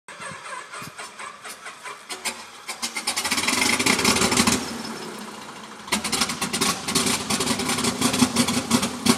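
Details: Helio Courier aircraft starting before a test flight: the engine cranks with uneven chuffing pulses, surges and dies back, then catches rough before steadying. Hard start.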